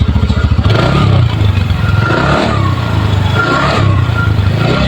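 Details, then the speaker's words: Ntorq scooter at 2,216 km, after replacing the noisy cam chain and lifter: revs up and settles back with a smooth, even note and no rattle or clatter from inside; normal running. "एकदम एकदम sound एकदम मखन हो गया चलाने पर भी मस्त आ रहा है"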